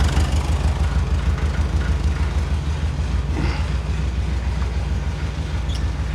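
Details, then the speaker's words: 1978 fuel-injected VW Super Beetle, air-cooled, after a simple fix for a no-start, airbox still off: steady, even low chugging with no misses or knocks; the engine is running normally again. "all right she's she's running I got to put the airbox back on I took that off but yeah pretty simple fix"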